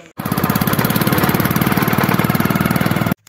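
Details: Motorcycle at steady speed makes a loud, fast, regular Bullet-like phut-phut thumping; the silencer underneath is cracked and leaking exhaust.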